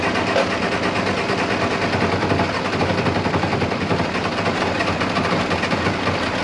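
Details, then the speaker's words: International 1086 diesel tractor after injection pump work: rapid, rough chuffing as it cranks and never catches, with some smoke. Cranks but no start; the owner suspects it is out of time or has air in the fuel. "well that was a fail okay try it again i did get some smoke that time it was acting like it was wanting to fire"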